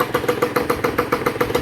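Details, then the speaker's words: Honda NSR150RR rebuilt two-stroke on test, N4 expansion pipe with loose header nut leaking, power valve closed, idles with crisp, even popping about seven beats a second; starts easily, good compression, 1,000 km run-in advised. "ก็ประมาณนี้ครับสตาร์ทง่ายกำลังอัดดีรันอินก่อนสัก1,000กิโลเมตรก่อนใช้งานนะครับ"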